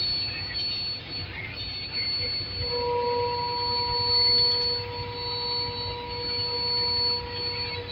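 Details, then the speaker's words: Truck air brake system: a soap-and-water test shows bubbling at a rear brake chamber (booster). A steady, high, sharp hiss of escaping compressed air comes from that chamber, while the other side is okay. Air brake chamber leak affecting braking. "That shows that the brake booster is leaking, meaning that even the braking is the braking has to be affected. Hearing that noise? It's coming from here."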